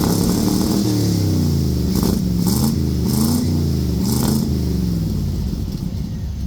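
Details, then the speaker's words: 1964 Chevrolet Suburban, 283 V8, revved: blips up and settles back smoothly with even firing and no knocks or misses. The alternator no longer rattles. An engine rattle was later traced to a loose crank pulley. Healthy revving. "You know, that little 283 runs good."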